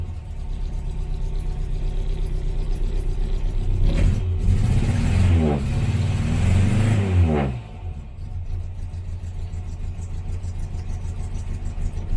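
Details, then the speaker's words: 1968 Morris Minor 1000 on its first cold start of 2023, with a bit too much choke. Lumpy, uneven idle with ragged revs; misfiring, and the ignition leads are about to be checked. "we are having a misfire I'm just gonna check the [Applause] the leads"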